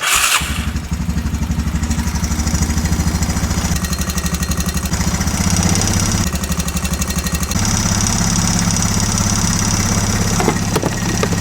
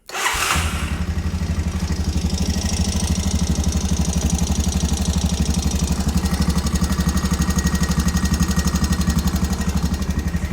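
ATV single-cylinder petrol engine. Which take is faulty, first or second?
second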